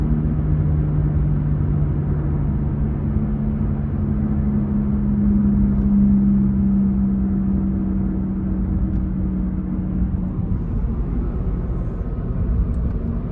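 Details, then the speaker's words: Honda Jazz GK while cruising, after dropping into a highway pothole: steady low drone around 150–200 Hz, first thought to be tyre noise; owner believes it is a worn rear wheel bearing. "ประมาณนี้ครับนาๆทุกท่านเหมือนเสียงลูกปืนมั้ยครับน้าาทุกท่านผมว่าน่าจะใช่เสียงลูกปืนนะ"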